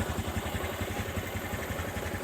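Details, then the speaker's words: Honda Supra 125 carburetor motorcycle after piston replacement, engine blipped: low loose rattle on each idle beat, attributed to a worn, loose balancer bearing making the engine run unsteady; bearing not replaced. "Nah di sini ada suara masih ada suara gledek gledek gledek ya karena apa Karena suara gledek-gledek ini Itu suara bandul di bagian laker bandulnya itu oblak sehingga posisi putaran mesin menjadi goyah ya"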